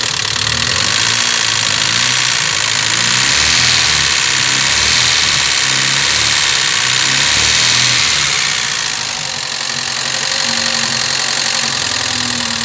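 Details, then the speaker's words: Chevrolet Vectra at idle after hydraulic lifter replacement, heard as the engine stabilized from cold with a new oil pump fitted: a fast light ticking about four per second from the front of the block, remaining lifter tick. "ele ainda tá com uma batidinha de tucho eu vou lá na frente mostrar para vocês"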